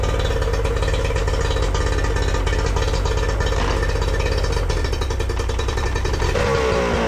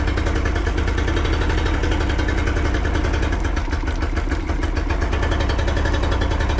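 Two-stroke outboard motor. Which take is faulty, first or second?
second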